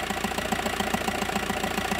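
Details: 2009 VW T5 diesel, cold idle: fast regular knocking about four to five per second; dual-mass flywheel suspected but unconfirmed.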